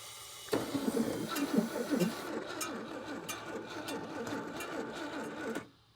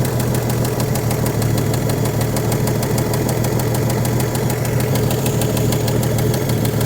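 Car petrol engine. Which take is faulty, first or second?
first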